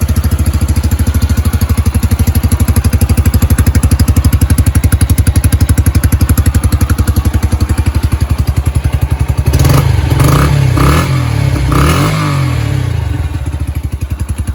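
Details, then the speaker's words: Yamaha YBR 125 motorcycle started cold after MOT repairs and a replacement electric starter: steady low single-cylinder putter at cold idle with a couple of brief throttle blips; even beat, no misses, healthy running. "so now I'm going to start the bike up it is cold so I'm just going to turn the ignition on"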